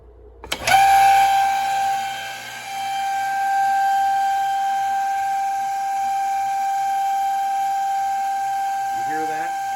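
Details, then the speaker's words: Old shallow well pump, rusted and leaking, restarted with a plate adapter and no gauge fitted: a steady high-pitched whine with a ringing overtone; the owner suspects it has been running dry a long time and it is not making enough pressure. "That pump sounds like hell. So that thing's been running dry for a long time and it's not putting out the pressure it needs."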